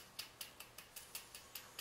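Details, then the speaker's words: Bicycle disc brake rotor spun in the frame after checking the wheel is seated: sharp, light scraping ticks about five per second, evenly spaced; an out-of-true spot rubbing the inner pad, fixed by bending it outward by hand. "this is going to need to pull outward is rubbing the inner pad"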